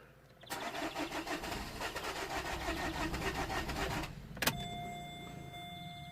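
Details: 2008 Vauxhall Corsa 1.3 CDTi (Z13DTH) diesel with an intermittent no-start and no fault codes: the starter churns evenly for about 3.5 seconds but the engine never catches. Crank, no start.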